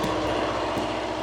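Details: Constant diesel drone with steady fan roar, no knocking or surging, from a two-compartment trailer reefer whose range is about 35 to -30 °C; normal running.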